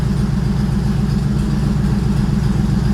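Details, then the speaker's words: Engine on open exhaust starts on its own, with a loud, even, steady low idle throb and no misses; it idles up at start, then steps down toward a target idle, possibly about 700 rpm, once warm; it previously had low-voltage running issues. "you hear it idles up, fires right up by itself, and then after it sees a little bit of temperature or sees that it's run for a few seconds, it starts to turn the idle down."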